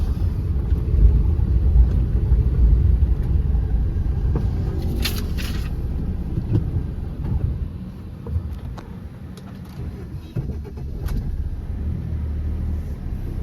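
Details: 2013 Maruti SX4 diesel, about 2 lakh km, after replacing steering ball joint, tie rod end, both shocks and bushes, plus alignment; previously knocked from the left on rough roads; now over rough road only even tyre rumble, no clunks. Quiet steering and suspension.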